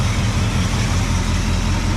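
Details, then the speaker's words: Cadillac 390 V8 after an Edelbrock carb swap from the 4GC, tuned by ear with no vacuum gauge or timing light: deep, even idle burble, no misses or tapping; slight blow-by and an audible exhaust leak; normal idle. "sounds okay she's got a little bit of blow by but really all things considered it sounds pretty good"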